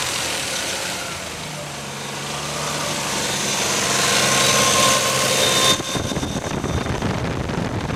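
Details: Nissan R33 Skyline GTR RB26 during break-in: rattle from the front of the engine, either head or fan, only between 3,000 and 4,000 rpm, louder with rpm but unchanged in pitch, stopping when the throttle closes.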